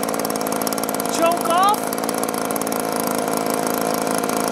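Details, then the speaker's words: Echo two-stroke blower after repairs: spark arrestor clear, piston and cylinder unscored, gummed prime bulb fixed. Now off choke it holds a steady high buzz without surging or dying; normal running, watched for fuel-vent trouble. "so I'm gonna run it for a little while make sure that problem's taken care of but it sounds great right now"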